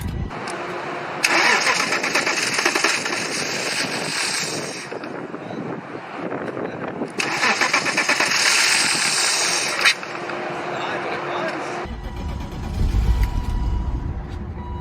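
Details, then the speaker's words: 1998 BMW 328is 5-speed parked 10+ years with very old bad fuel, first start after fuel pump work restored fuel pressure: a long crank that catches, then an uneven, surging run that keeps sagging toward stalling. Hard starting and rough running. "to die but it runs see if I can keep it running oh yeah she's healthy but not healthy"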